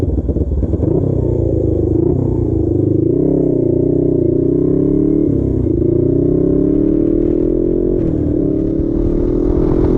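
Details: Custom Suzuki GS450 scrambler twin, warm: the exhaust note stutters and wavers instead of climbing cleanly. A dying ignition coil was found; the head gasket is also to be replaced.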